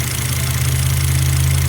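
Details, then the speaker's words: 2006 Volvo XC90 AWD 2.5 petrol with service engine light, on morning start: low, deep idle with slight unevenness; a vacuum leak in the hoses was found. "very low when I turned it on this morning. The sound was not normal, so I checked it out and checked this out."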